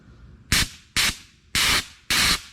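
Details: C6 Corvette nitrous system, bottle just opened for purge test: four sharp bursts of high hiss, each cutting off cleanly with nothing low underneath; normal nitrous purge.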